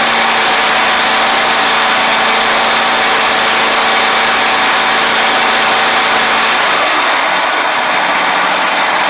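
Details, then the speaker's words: Ferris stand-on mower, Briggs OHV twin, after repair: loose intake pushrod guide bolt had thrown the pushrod causing a one-cylinder misfire; even, steady hum at constant speed, no misses; both cylinders firing normally. "Looks good. Pretty simple fix there, guys. Luckily, it was just the intake push rod valve guide bolt."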